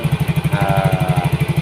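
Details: Yamaha Mio GT injected scooter, new injector fitted, idling after CO trim cut from 15% to 7%, which had given 2000 rpm. Even, steady single-cylinder pulsing with no misses or hunting; clean, normal idle.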